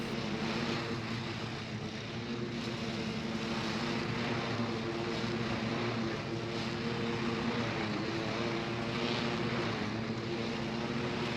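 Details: John Deere L120 lawn tractor with 48-inch deck, mowing after a new deck belt was fitted: steady, even engine drone under load with no knocks, squeals or surging. The belt runs smooth and cuts evenly.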